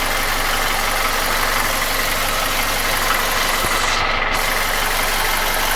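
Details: Nissan QG16DE engine without hydraulic lifters, idling: faint rhythmic knock about three per second, felt between cylinders 1 and 2 at front of block; began 1.5k km ago, after piston rings, oil rings, timing chain and guide replaced 2k km ago; oil change didn't help; gone when revved. Source undetermined.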